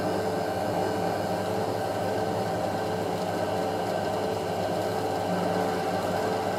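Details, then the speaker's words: Hotpoint 9530 Electronic 1000 Plus washer, Programme 4 50°C coloured synthetics, polyester/cotton load, intermediate spin: steady even motor hum holding constant speed, no thumping or banging; load slightly unbalanced, not too bad, normal. "Okay. balance well on the synthetic cycle. Slightly unbalanced, not much. Not too bad."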